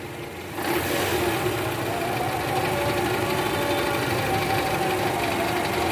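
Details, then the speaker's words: 2012 Toyota Camry 2.5 2AR engine, over 100,000 km, cold start idling in R: light uneven "kretek tek tek" rattle, clearest at the oil pan by stethoscope, gone when warm; loose worn balancer shaft, replaced. "ini guys ada bunyi Kretek tek tek tek tek tek ini posisi R tadi saya sempat dengerin pakai SpongeBob di area panci oli itu jelas banget suaranya Kretek tek tek tek dan ini indikasinya balancernya oblak guys"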